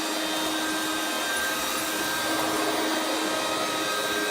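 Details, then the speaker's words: 1994 Hoover Turbopower 2 Autosense U2462 upright vacuum, 800 W motor: smooth steady motor whine with no brush roll thrashing and no pickup, because the drive belt is broken; belt later replaced from another machine. "well yeah the Bel is broken on it"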